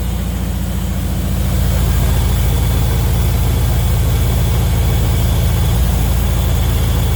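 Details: Turner Ranger four-wheel-drive, four-wheel-steer tractor with 1098 A-series petrol engine, sitting six months; after cleaning sooted plugs (one petrol-wet from over-fuelling), started with choke off: even low thumping about 3.5 beats a second settling into a steady clean idle.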